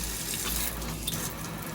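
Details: Newly installed Delta Varos single-handle kitchen faucet being tested: steady, even rush of water with no sputter, hammer or hiss; flow sounds smooth and healthy.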